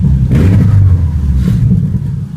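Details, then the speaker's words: Subaru Impreza Outback with STI swap: deep loud boxer rumble with throaty rev blips, rough and raspy from a huge exhaust leak. "kind of sounds like crap kind of sounds badass but it's got that awesome Subaru Rumble"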